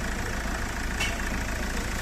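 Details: Mahindra Scorpio diesel after ECU unlock fixed immobilizer no-start, locker status OK: even, steady idle with constant low rumble, no misses, knocks or hunting; engine running normally.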